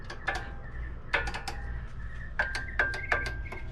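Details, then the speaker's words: 2006 Subaru STI, wheel off, front end: sharp light clicks in small clusters; car clicks from the front when braking and over bumps; knuckle checked solid, owner suspects caliper pad movement, considered harmless. "i want to say that's the noise [Music] if that is that's fine that's nothing detrimental to the car driving"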